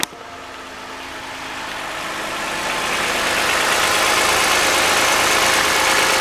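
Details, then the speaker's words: 2014 Toyota Highlander 3.5L V6 at 92,000 miles, overfilled by one quart of oil. A cold-start rattle of about four per second, present for a few months, quiets as it warms; valvetrain or timing chain suspected, referred to dealer. "so it starting to quiet down a little more now so more than likely he's got some valvetrain things going on"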